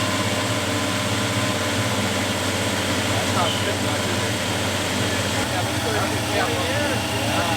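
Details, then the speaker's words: 1973 Plymouth Scamp running for the first time since 2004, with oil pressure up right after start: an even, steady idle under background voices, with no misses or tapping. Normal idle. "it's now running thank you donovan oh absolutely very much appreciate it thank you jerry thank you finley appreciate it pretty freaking rad yeah it really is [Music] it's so smooth right it really is"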